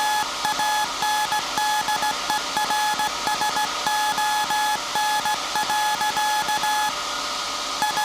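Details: SAQ Grimeton 1924 Alexanderson alternator VLF transmitter on 17.2 kHz CW, December 1st 2024 centennial transmission: clean steady tone in Morse dots and dashes at an even hand-sent pace; normal CW transmission.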